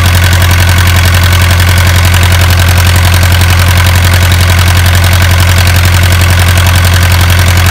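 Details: Isuzu 4BA1 85 hp diesel coupled directly to a 5-inch single-impeller pump irrigating a 20-rai durian orchard, pushing water about 800 m uphill; steady, deep drone, even beat around 220 a minute, holding speed; normal healthy running under load.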